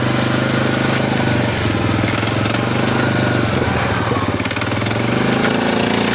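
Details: SF Moto 500 engine running: loud, rough note with uneven knocking and gritty grinding over it; internal engine knock, cause unclear.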